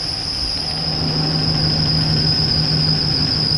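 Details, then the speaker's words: Chevrolet Silverado first started after draining old gas and adding fresh gas, idling with good oil pressure: a steady, piercing high squeal rides over the idle. Owner suspects a serpentine belt problem; not confirmed. "Excuse the terrible squealing, but I'm kind of scared to turn it off."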